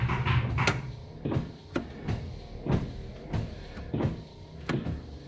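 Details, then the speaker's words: 1966 Ford Galaxie 500 convertible after front wiring harness repair, first test: soft wiper motor whir with an end-of-sweep thump about every 0.7 seconds, evenly paced, plus washer pump running with no hose fitted yet; wipers working normally. "Okay, we got wipers too. And the washer pump makes noise."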